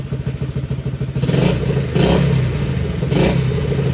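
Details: Honda XL70 K0 small single-cylinder, cold start on a chilly mid-40s°F day with 6-volt battery: putters with a quick, slightly uneven beat, then picks up with a few throttle blips; healthy cold engine warming up.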